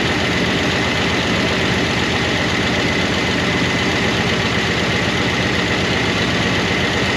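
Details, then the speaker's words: 1988 Monte Carlo SS V8, sat since the 1990s, running off the tank on first revival: fast, light ticking over a lumpy idle keeps pace with engine speed; rocker arms stay noisy, never quieting. "but those rocker arms never did get quiet."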